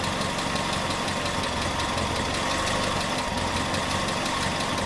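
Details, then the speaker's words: Datsun, hot engine after engine bay overhaul and new ignition coil, idling at 800 rpm (was 750); steady fairly even beat, no obvious skip, smoother with fewer vibrations and misfires than before; normal idle. "I'm ready to fire it up again here to see what it sounds like a lot faster sounds more or less the same maybe a little smoother"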